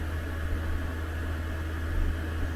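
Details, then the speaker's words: Espar D2 diesel heater in a van after atomizer screen replacement (about 530 hours since last service), running full speed: constant low fan roar, steady hum and even combustion rumble, no surging or popping; normal full-output running. "you can hear it ramping up now it's running full speed it's pretty much about the highest temperature that we'll get"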